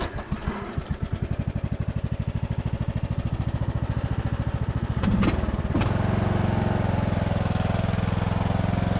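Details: Poulan/Husqvarna riding mower saved from scrap, after cleanup, new LED bulbs and paint: engine catches with even popping beats, then settles into a smooth steady faster run with no misses or knocks; running healthy.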